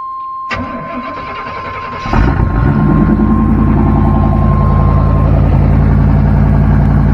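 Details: Used square-body Chevy truck V8, first start during a pre-purchase inspection: starter cranks briefly, then catches into a deep, throaty, lumpy idle; growl indicates the exhaust has been modified.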